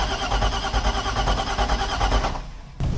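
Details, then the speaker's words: Glastron Carlson CVX23 boat engine, fuel pump bypassed, no water hooked up: even cranking about six pulses a second without firing; kill cutoff switch wasn't fully plugged in, after which it started and idled well. "my cutoff switch wasn't plugged in all the way"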